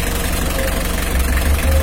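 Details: Mitsubishi L300 diesel at idle while checking the radiator fan: steady deep rumble, even and untroubled, no knocks or squeals; normal idle.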